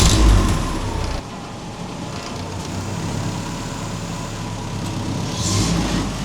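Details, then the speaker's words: 1950 Willys M38 jeep just started after 15 years with a new harness, fluids and fuel system, running on a little choke with a visible fuel leak: gentle revs pick up cleanly and settle back without stumbling. Healthy engine revving. "Man, that sounded good. I'm so excited. I gotta hop in here, rev it up for a minute."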